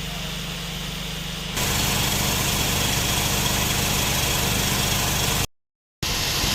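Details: Nissan NV van at idle, original loose A/C compressor before replacement; A/C weak, high system pressure/heat, leaks in system, cabin vent 4.6; steady idle then loud rough rattling rush as A/C kicks in — loose compressor noise.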